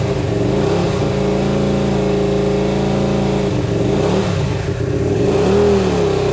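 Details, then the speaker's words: Hyosung GT125RC first start after two years, carbs ultrasonically cleaned, wiring modified, choke on: uneven, lumpy running with throttle blips; owner thinks it is running on only one cylinder. "just trying to choke off something's happening folks something is only one cylinder to me"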